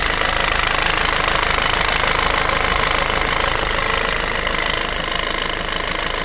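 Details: Peugeot/Citroën 1.6 HDi FAP diesel idling: a sharp, fairly even ticking knock at about 2.5 per second over a loud clatter; the owner questions whether this is abnormal, and the cause is unclear.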